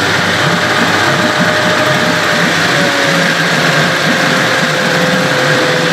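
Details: Evinrude/Johnson 15 hp two-stroke outboard running steadily after driveshaft swap: thin high whine rides on top the whole time, less bad than with the other driveshaft but still there; source unknown, motor deemed parts.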